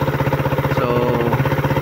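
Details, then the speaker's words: Suzuki Raider idling after repair: diesel mixed into oil to fill bearing clearances, timing chain tensioner adjusted; cylinder head tapping eliminated. Even quick pulses, smooth top end, no rattling. Normal idle. "yan nalwa natin ng itala yung lagatak ayan Normal na."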